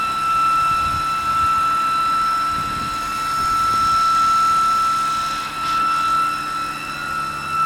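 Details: BMW E92, newly developed loud steady high-pitched whine from the engine bay over a quiet idle, constant pitch; source not yet found, awaiting mechanic.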